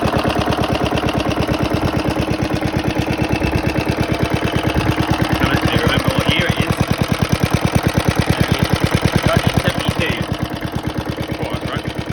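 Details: Very worn 1972 Hayterette mower, hundreds of hours last year, cold start after six-seven months stored on old fuel topped with fresh: quick, even single-cylinder firing at steady speed, no misses; hard to start but runs strong once going.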